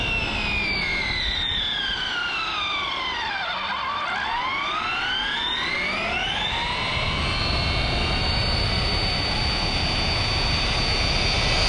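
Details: Redcat Kaiju EXT RC truck on 3S, about 36-37 mph speed runs: loud high drivetrain whine swooping up then down as it passes; pinion mesh set ultra tight.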